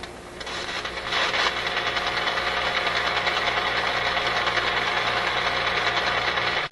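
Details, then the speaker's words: RCA A24 antique vacuum tube radio during shortwave band alignment: a steady hiss with a fast ~3/s pulsing flutter. It is interference from a nearby wall-wart switching power supply, right on the spot to be tuned. "That's one of those wall wart power supplies with the switching power supply that's making that sound. Which is a little bit unfortunate, but it's right on the spot where we want to tune this radio."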